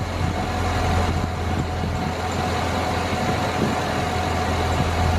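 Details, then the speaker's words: 2007 Chevy Suburban idling, listening at the first belt pulley with ear close, before replacing tensioner pulley: steady low rumble, no chirp, squeal or bearing growl; this pulley is fine, unlike the dry idler/tensioner bearing. "gotta be really close to this and I don't hear it hear the noise coming through so I'm pretty much okay with that"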